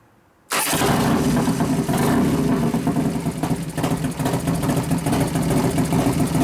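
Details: New 1993 Harley FXR Evo 89ci stroker build, restarted with compression releases after refuelling, warming up, no air cleaner; catches into loose lumpy idle with throttle blips: normal idle.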